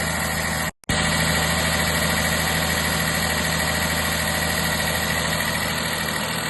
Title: vw 1.0tsi 81kw DLAA (2021) weird noise on idle